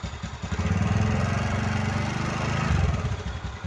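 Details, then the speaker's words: TVS Ntorq 125 BS6 scooter after one-way bearing replacement: the engine catches and settles into an even, steady putter with no grinding or clatter from the starter, as the noise is now completely gone; normal start and idle. "একদম আওয়াজ নাই হয়ে গেছে। এটা race কর। তো একদম ঠিক হয়ে গেছে, আওয়াজ কোনো আওয়াজ নাই।"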